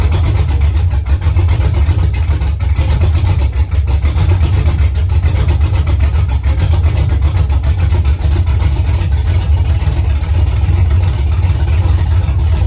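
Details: Truck V8 with mechanical DOD delete, DOD now removed from the tune (previously running on 4 cylinders), exhaust not yet fitted: deep loping idle, uneven rhythmic chop over strong low rumble, "baby chop chop"; healthy on all cylinders with mild cam.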